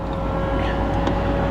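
Steady, even pump hum with a constant pitch and no strain or knocking while the roof moves; top hydraulics working normally.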